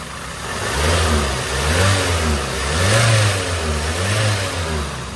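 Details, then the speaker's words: Toyota Avanza engine after knocking repair (new liner, piston rings, connecting rod and main bearings, valve seats), now breaking in; deep, even note rising and falling with gentle throttle, quiet with no knocking or tapping; normal revving. "So tingnan natin iyung andar ngayon mga sir. Aan tahimik na siya. Ayan pa-break in na'."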